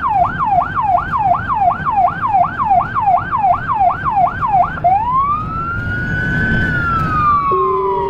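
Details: Federal Signal Rumbler siren on a small emergency car in Budapest, recorded from inside via dashcam: a fast yelp about three cycles a second, then a slow rising wail, with the steady 180–360 Hz low Rumbler tone joining at the end; working normally.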